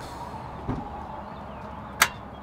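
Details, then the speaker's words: Duramax diesel truck, no crank no start: starter clicks hard twice with no cranking while voltage drops only from 11.9 to 11.6 V under load (12.1 V at rest); starter suspected, ground to be checked next. "I can definitely hear the starter clicking pretty hard so next thing I want to do is just to double check it"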